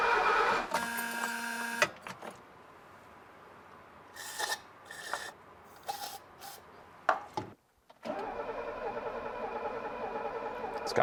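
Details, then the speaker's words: Mercedes 250 (W114) parked for decades, first start attempt with starting fluid; starter whirs in short bursts, then long cranking that never fires; cranks, no start, owner suspects no spark. "i think she would have popped off by now she would have with a little bit of that starting fluid which means i might not have spark"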